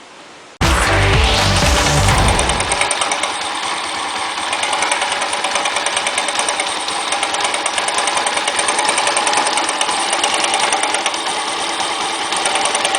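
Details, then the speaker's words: A Dafra Riva 150 after valve adjustment and carburetor cleaning idles fast and even, with an intermittent sharp metallic tick of about three per second. The cam chain tensioner is ruled out and valves checked OK; a piston pin or piston problem is suspected, not confirmed. "Já cortou manual e você notou que um barulho vai e volta e não há barulho constante então é bem provável que seja alguma coisa relacionada a pino de pistão saia de pistão não é cabeçote é pistão"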